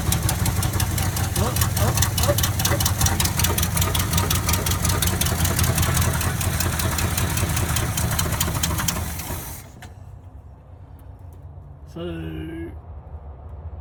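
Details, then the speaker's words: 1979 Chevrolet C30 on fuel poured in the carburetor: catches and runs rough and lumpy about nine seconds then dies; pump delivering little fuel, needs replacing; vacuum leak later found. "maybe we need another fuel pump. I mean, there was some fuel that was coming up. But it wasn't a whole lot. So that bad boy is going to need to be replaced."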